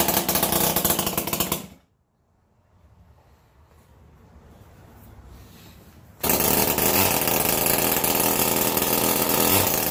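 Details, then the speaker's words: 49cc two-stroke engine converted onto a Razor E-150 scooter, choke on, makeshift fuel tank, no exhaust fitted: harsh raspy buzzing bursts, briefly cutting out then roaring back at high revs. "okay so there's also no exhaust on it so let's see though what it sounds like"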